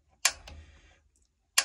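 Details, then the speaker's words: Newly installed gas water heater, knob on pilot and pushed in: two sharp dry piezo igniter clicks about a second and a half apart in a quiet room while lighting the pilot; piezo igniter clicking. "Every couple of seconds, just give the igniter a spark."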